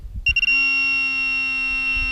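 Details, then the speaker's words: Minelab Pro-Find 35/15 pinpointer at max sensitivity with Ferrous Tone ID on, over a nail touching a coin: a chirp, then a steady solid high tone with no warble. The coin tone wins and no ferrous pulsing is heard. "You hear the solid tone. You don't get the ferrous tone when they're touching. And I think that's very important."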